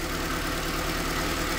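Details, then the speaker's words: 2010 Toyota Corolla at idle: rough, stumbling idle; cylinder two misfire persists after swapping the coil, so coil ruled out; spark plug next suspected, compression not thought the problem. "Y qué es lo que pasa aquí sigo teniendo la falla en el dos"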